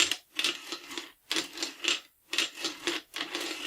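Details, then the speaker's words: Norinco M14 rifle with the bolt cycled by hand during reassembly: four dry rasping scrapes as the recoil spring rubs the op-rod handle; a rounder op-rod spring guide keeps the spring straight and stops the grinding. "it's making that spring grinding sound that's just from the spring hitting this op-rod handle"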